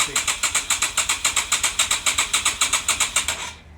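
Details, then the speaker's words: Yamaha XV250 Virago with a cheap CDI, full choke and full throttle with starting spray: even rapid pops about four per second, then an abrupt cutout; caught briefly then died. "And that's all she wrote. What can we do?"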